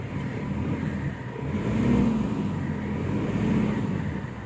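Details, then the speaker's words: 2013 Mitsubishi Strada Triton GLX in 4L, brake held with added throttle to load the driveline, after replacing the transfer case double chain and both CV joints: engine rumble rises and falls with no clunks or grinding, so the 4WD now sounds normal. "alhamdulillah untuk suaranya tidak ada lagi temen-temen Ya"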